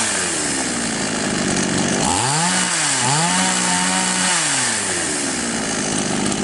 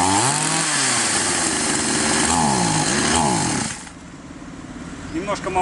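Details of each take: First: Chinese copy of Stihl MS660 chainsaw that started but stalled on throttle, after opening the carburettor screw nearest the cylinder about half a turn and then a bit more: revs up cleanly and drops back, pitch smooth with no stumble or bog; normal running. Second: Chinese copy of a Stihl MS660 chainsaw, both carb screws set two turns out: high buzzing that surges up and down and won't hold revs, then drops off; running lean, fix is opening the screw nearest the cylinder.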